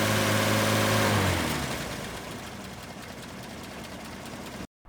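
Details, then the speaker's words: Toyota fan clutch modified with 10,000 cSt silicone fluid, revved then dropped to idle: a steady rushing fan roar carries on with the clutch still engaged. It stays engaged much longer than the stock clutch, which released right away. "And what you're going to notice is that it's going to take much longer for this to disengage than it did on the previous clip that I just played."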